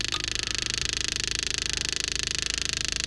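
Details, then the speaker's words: Electric fuel pump freshly hooked to a clean gas supply on a big-block Chevy motorhome, not yet picking up fuel: loud high buzzing chatter pulsing about twice a second that never quiets down. Noisy electric fuel pump, cause unconfirmed. "It should quieten down. I don't know why it's not. It's awfully noisy. When it picks up fuel, they usually quieten down."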